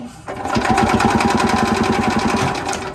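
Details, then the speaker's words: Ez-Go golf cart with a Robin two-stroke engine cranks fast and evenly at half choke, fires once but won't run; not getting fuel, and something may also have been plugged while blowing out parts with an air hose. "Hey, did you hear it fire? It did fire, but for some stupid reason, she ain't getting no gas. Half choke."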